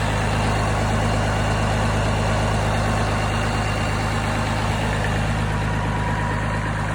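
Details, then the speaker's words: Deere engine running with 50 psi oil pressure, dropping to 25 psi after shutoff: smooth, steady note with no knocks, misses or rattles. It is running really well. "i'm gonna shut it off here and check the oil pressure afterwards you can hear it's running really good pulling the shutoff cable there"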